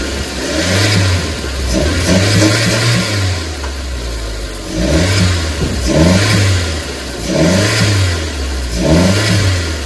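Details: Chevy (Geo) Metro after throttle position sensor replacement, still faulty: revs swell and sag about every second and a half with a rough, uneven note; owner says it sounds flooded, cause unknown.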